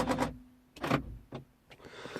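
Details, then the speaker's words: 2003 Mercedes C220 W203, passenger-side door lock actuator unlocking: a few short, crisp clunks and whirs, each clean and quick. It works normally, unlike the faulty driver's door lock. "so if i unlock you're going to hear these noise okay so if you look at the passenger side it looks as normal"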